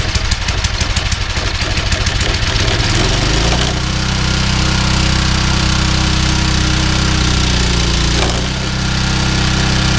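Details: Yardman 21-inch snowblower (31A-285-452), 5 hp Tecumseh single, sat for years, belt fitted: cold start from nothing, choppy firing quickly smooths into a steady, even drone with no misses.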